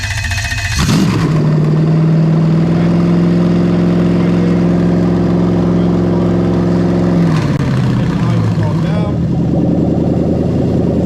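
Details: Lexus GS430 05-07 3UZ-FE VVT-i V8 running on a Link G4+ X-Treme ECU with a rewired harness for an IS200: catches cleanly, climbs to a steady held speed, then drops to a calm, regular idle; normal start.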